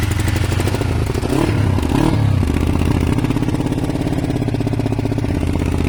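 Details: Kawasaki ER500 twin with white smoke: uneven, lumpy beat with occasional stumbles and a short rough patch, one cylinder intermittently misfiring; owner suspects a broken head gasket, unconfirmed.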